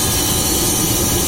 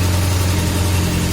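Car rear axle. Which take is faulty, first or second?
first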